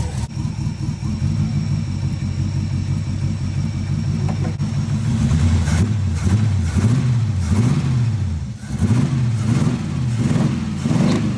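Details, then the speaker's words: Small-block Chevy V8 in an El Camino with hydraulic lifters, after retarding the timing to about 5–6°: repeated clean throttle blips rising and falling evenly with no backfires, revving crisply and smoothly. "we go no more backfire way better"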